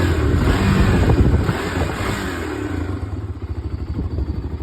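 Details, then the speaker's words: 2002 Honda TRX300EX single-cylinder quad after carburetor work and basic maintenance; blips up cleanly and drops back to a steady thumping idle without stumbling or the former throttle lag; running smooth. "Running smooth now, man."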